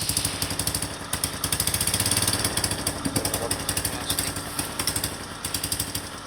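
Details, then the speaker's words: Suzuki Spin 125 scooter idling with the secondary air (2nd pair) valve open: soft regular puffing pulses at the valve port, like exhaust leaking, which stop when the valve closes; normal suction. "Teman-teman bisa mendengarkan ada suara seperti gas buang yang bocor dari lubang sini ya."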